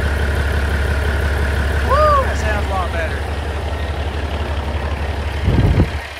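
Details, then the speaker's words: Diesel truck after replacing a fuel line and O-ring, chasing fuel pressure toward 100 psi: steady, even low diesel rumble with no misses or hunting; idling smoothly and healthy. "thank you oh yeah okay it runs real good"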